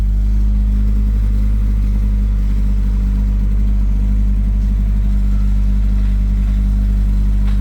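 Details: Volvo B230 redblock engine driven with no oil pressure after already 10 minutes knocking: heavy, fast big-end knock under a loud, labouring run with heavy exhaust smoke, close to seizing.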